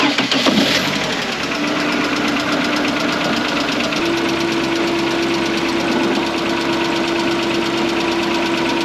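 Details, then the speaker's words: Ford Fiesta Mk1 with Zetec engine: after an oil change and new oil filter, it catches and idles with a crisp, regular top-end tapping that is unchanged. Owner suspects valve clearances and plans to recheck them, though they were already set once. "well that didn't make any difference so I might have to recheck the valve clearances then and see if any of them are different"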